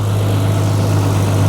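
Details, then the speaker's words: BMW E36 M3 with about 85,000–86,000 miles idling: smooth, even idle with a steady low drone and no rattle or tapping from the engine bay, which sounds healthy. "With the bonnet down, it sounds sweet. We're going to put it up. I always say cars always sound worse through a microphone, but through my ears right now, it sounds spot on."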